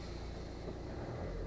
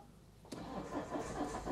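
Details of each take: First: Citroen Berlingo 2.0 HDi diesel with uneven starter churn and suspected compression loss or failing injector: on restart the engine settles into an even steady rumble with no stumbling, knocking or misfire, starting as it should. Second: Citroen Berlingo 2.0 HDi diesel with uneven starter churn, owner suspects compression loss: cranks and catches unevenly, stumbles, skips and surges, then steadies; suspected dropped cylinder or failing injector, not confirmed.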